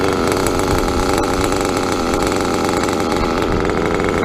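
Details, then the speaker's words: .28 nitro engine, throttle released, needle untouched since last time: fast, even buzzing idle with steady pitch and no surging or dropouts; runs cleanly on its own. "Alright, so I finally got an idle in one of my cars. No gas. One of my cars is actually idling."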